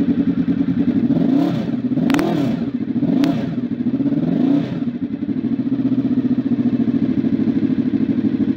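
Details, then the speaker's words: Honda RC24 V4 motorcycle converted to a big-bang firing order: throttle blips, then a lumpy, uneven warble at idle instead of a smooth hum. The warble comes from the changed big-bang firing timing. "so essentially you see Boyd a video of the two totally different sounds of things make like when you've converted it to the Big Bang and then the second part of it shows what it normally sounds like"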